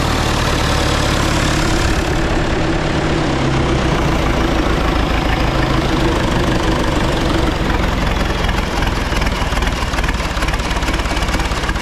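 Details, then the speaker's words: Rebuilt John Deere 2020 diesel first run after rebuild, on a jump starter, some fuel leaks: steady low idle with even clatter settling over the run; started fairly easily, sounds healthy, normal idle. "well that sounds promising started fairly easy actually"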